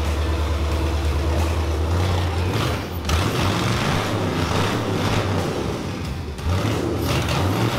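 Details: Corvair with LS V8 swap running on open manifolds after the first start; first start had been delayed by an unplugged wire. Loud, deep, steady rumble with even firing and no misses or knocks: running healthy.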